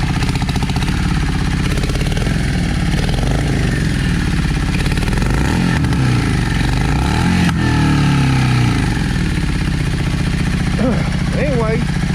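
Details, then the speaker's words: Dusty Yamaha V Star 650 V-twin that had been sitting, running on choke: lumpy, uneven revs with flat response; front cylinder not firing and barely warming. "You can definitely tell that that front cylinder is not running. Hardly any heat."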